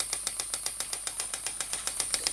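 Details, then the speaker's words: Stuart model "donkey" steam water pump (6 cm3, slide valve, rated 40–400 strokes/min) running on compressed air rather than steam, pumping water; crisp even clip-clop puffing about seven or eight beats a second, no stumbles, normal running. "la pompe fait son travail et comme vous l'entendez fait son clope sur clope comme c'est une machine à vapeur"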